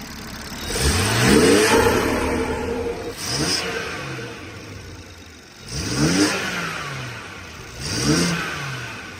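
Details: BMW F30 340i (gen1 B58) after a front mount intake and upgraded turbo inlet install: quiet idle with four clean rev blips that rise and fall smoothly, no misses or rattles. The engine sounds healthy.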